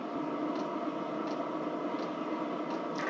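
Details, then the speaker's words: Cheap Chinese diesel heater running a couple of minutes after suspected fan rub: steady fan rush over smooth combustion hum, no surging; surprisingly quiet, hot air output, normal running. "pretty quiet actually i'm surprised how quiet it is"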